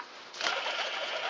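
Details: Old alternator removed from a 1997 GMC Safari 4.3 L van, which made a loud racket at the front of the engine, spun by hand: a dry, gritty rushing hiss that persists while coasting; the bearing is worn and on its way out.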